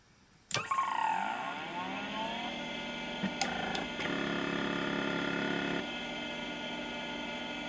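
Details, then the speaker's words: LaPine Titan 32 MB RLL mid-1980s stepper-motor hard drive, improving over reboots: sharp click, spindle whine climbing and settling to a steady tone with a few seek clicks; normal startup and initialization. "yep yep that's nice perfectly normal startup sounding good normal initialization wow what a cool little drive"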